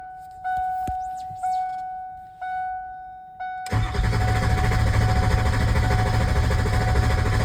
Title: 97 f-250 power stroke. Hard start and stall.